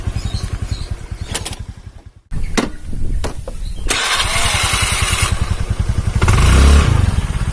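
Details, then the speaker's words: Honda Beat carburetor scooter after replacing a snapped CVT drive belt (V-belt kit): starts, settles into an even idle pulse, then revs smoothly with no rattle or slapping from the belt drive; engine runs smooth. "Oke Alhamdulillah sudah selesai dan mesin halus mesin halus kawannya"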